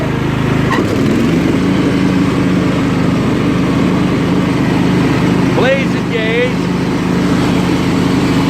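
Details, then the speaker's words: Scotts lawn tractor built by John Deere, 16 hp Kohler Command engine, 42-inch deck, hydrostatic drive, after repairs, driven with blades engaged; steady, even engine drone holding pitch with no surging or bogging. Normal running under load. "pretty good I love it what a good drag the runs good"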